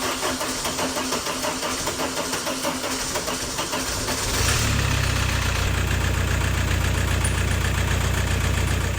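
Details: 2000 VW Passat 1.9 TDI diesel started: uneven shaking, lumpy idle from a faulty injector.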